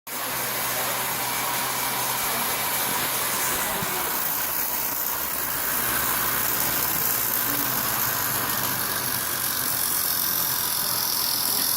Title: CycleOps Super Magneto Pro Bad Bearing